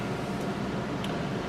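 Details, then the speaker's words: Attic fan in the cabana, newly wired electrically, runs with a steady even rush of air and low hum, no rattles or scraping; sounds like the original Long Island house attic fan, normal running. "yeah I just love that sound that's definitely the fan we used to have at the Long Island house"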